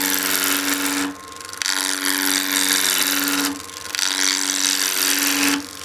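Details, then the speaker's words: Skew chisel peeling cut on a wood lathe blank with imperfections: harsh scraping cuts in bursts with uneven knocking as the chisel hits a knot, where a big split was then found. "But yeah, we are hitting a knot right there. And you can hear that knocking noise as we're trying to peel through."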